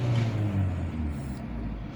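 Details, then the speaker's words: Ford Escort 1.6 CLX with A/C, after idle problem work (new coil, spark plug wires, idle sensor wiring and socket repaired): revs drop after a blip and settle to a steady, even idle around 900 rpm without hunting. "gördüğünüz gibi geliyor 900d sabitleniyor var Yani şimdilik Herhangi bir sıkıntı yok"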